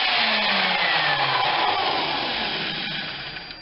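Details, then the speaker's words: Skilsaw SPT77WML 7-1/4" worm drive circular saw from a contractor's junk pile, tested on a GFI outlet: motor runs at full speed with an even high whir and smooth spin-down; everything works, only the blade nut is worn. "Alright. That one runs. So let me look it over more and see if there is some Yeah, everything seems to work."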